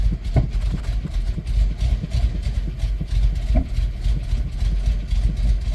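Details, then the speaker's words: 1993 Plymouth Grand Voyager SE restarted after 18 years parked, replacement fuel pump, suspected low compression: lumpy uneven idle with irregular low thumps and dropouts, runs well briefly then stumbles; misfire. "why does it run great for a second you know what I mean"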